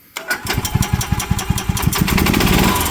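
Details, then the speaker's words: EZGO golf cart engine with freshly rebuilt carburetor, belt off and transmission in neutral: catches at once without choke (previously needed choke), quick even pops speeding into a clean, steady rev with no stumbling; normal start and rev. "that's the carburetor I just rehabed it wouldn't do that before I had to choke it all the time"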